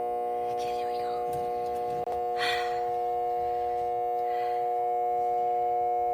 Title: RV Converter Making Noise